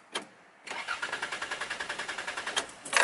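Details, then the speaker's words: Automatic car with spark plug cables removed and gear in P, starter test: even, quick whirring cranking about eight beats a second for two seconds, starter spins healthily but engine never fires without plugs. "no any starting and uh actually start motor is starting but engine is not starting and that's I need to go to insert my spark PLS back"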